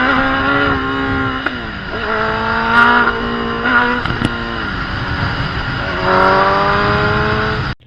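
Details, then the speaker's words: Gen 1 Kawasaki ZX10R road test with the kickstand switch bypassed: revs climb, then sag abruptly a couple of times before pulling again. It is slightly less bad but still happens, so the kickstand switch is probably not the cause. Intermittent power loss under throttle, cause unknown. "Alright, so as you guys just saw, that was not the problem. That also did the same thing. Not quite as bad, but it still did it, so that tells me that is probably not the problem."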